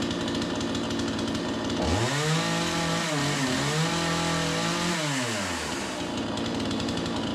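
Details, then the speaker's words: Troy-Bilt TB4620C 46cc chainsaw, 20" bar, during carb adjustment with a large Pac-Man tool: idles, revs up, holds and drops back with a soft, blubbery high-speed edge suggesting rich mixture; a little smoky and dripping bar oil, as it always does. "little Smokey in here dripping some bar oil which it always seems to do that"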